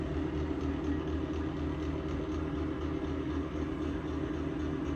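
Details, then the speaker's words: Exhaust fan running: steady, rough rumble with a wavering hum that never smooths out, sounding worse than before; worn fan bearings, fan due for replacement. "It sounds worse. The exhaust fan to your left. That thing sounds like it's about to die."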